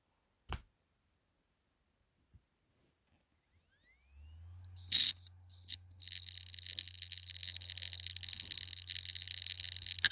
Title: Hard drive weird noise example